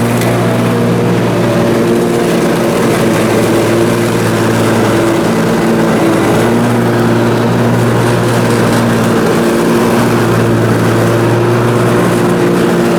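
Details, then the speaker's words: Briggs & Stratton Intek M44 twin on a mower after total carburetor tear-down and clean: strong steady drone holding one speed while mowing, no hunting or surging; seems all right now, normal running under load. "so well there we go it seems as if it's all right now so that is good"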